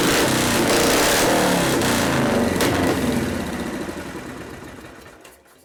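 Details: 1973 Harley FX 74ci Shovelhead, first start after a frame swap: the big twin fires and holds a loping beat of about 2.5 pulses per second before winding down. It runs, though the idle circuit may need carburetor adjustment.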